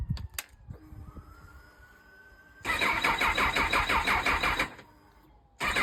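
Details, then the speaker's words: Honda CB1000R with Dynojet system, owner's phone clip of hard starting after collection: quiet attempts, then catches, runs rough about two seconds, dies, fires again. "So, in the clip, you see he's trying to start it. The first time it wasn't cranking long enough, I don't think. And then the second or third time, it did start for a few seconds."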